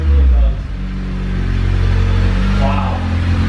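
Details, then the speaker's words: Car with a straight-piped exhaust being reworked with a muffler: deep, steady exhaust rumble at idle with no rattle, drone or blowing; the exhaust now sounds good, a normal exhaust note. "we're actually kind of sounds all right rub it a little Zachary you don't want them oh yeah that sounds good actually"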